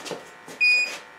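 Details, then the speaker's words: Electronic gas detector at the gas shutoff of a Rheem furnace gives a sharp high beep; suspected small leak there may explain homeowner sometimes smelling gas, to be verified with soap bubbles. "so we got pretty good mount little beeps here right there on the gas shutoff mmm probably why the homeowners been going I think I smelled gas sometimes"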